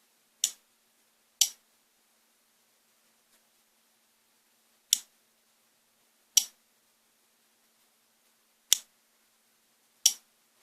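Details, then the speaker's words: Treadmill inverter controller board on the bench, relay tested by applying power: seven crisp, isolated clicks at uneven intervals in a quiet room; relay switching cleanly, working normally. "4 전작의 부탁드려 따는 소리 인데요 이렇게 해서 밀레 테스트는 출전 저것 해보는 것입니다 아 밀레 테스트 해보니까 밀린 정성적 이구나"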